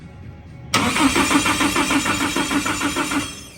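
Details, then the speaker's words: Nissan S14 Sylvia build, first crank after wiring, not yet firing: starter spins evenly with crisp compression pulses about four a second; good compression. "Nope. Joking, that's fast. With a good heartbeat. Definitely got some compression."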